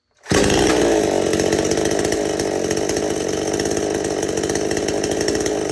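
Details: Chainsaw restarted after the idle speed screw was turned in a little more, carburetor jets left unchanged: it fires up and settles into a steady, even idle with regular firing and no surging or hunting; normal idle.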